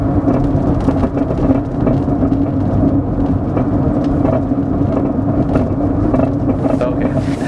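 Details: 2003 Honda Element: irregular hollow knocks from the rear over steady road rumble while driving, still audible with the radio loud; a knocking traced to the rear suspension, a rear sway bar link.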